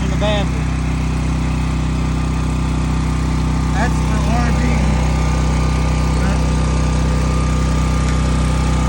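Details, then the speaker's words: New Sportsman 4000 dual fuel gas/propane generator restarted within a crank or two, running loud at 120 volt setting; steady even low drone, no misses, knocks or hunting, normal running. "I'm going to shut it off it's too loud so it started back within a crank or two couple tranks"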